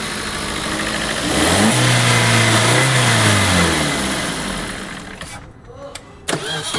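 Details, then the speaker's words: Car starting normally after the self-starter motor was cleaned, greased and had its gear (45-12) refitted to cure a starting noise. There is a brief smooth crank into a steady idle with no gear grinding or whirring from the starter. "देखो गाड़ी हो गई okay आवाज सारी बंद है गाड़ी हाथ सेल्फ स्टार्ट है आप देख सकते हो"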